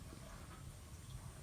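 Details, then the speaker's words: Gas boiler firing with a clicking, banging, clunking rumble and bubbling; kettling from overheating as heat isn't distributed, suspected sludge blockage, scaled exchanger or failing pump, not confirmed. "ok that noise you can hear is the boiler kettle in it's like a clicking banging clunking noise"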